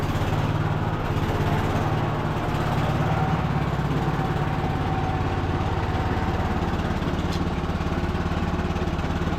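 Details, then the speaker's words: Cub Cadet LT1045 riding mower, revived non-runner being function-tested on a possibly marginal carburetor: steady low engine drone, hydrostatic transmission smooth with no knocks, whine or grinding; drive belt still to be checked. "transm sounds fine nice and smooth we're going to have to check the drive belt on it but"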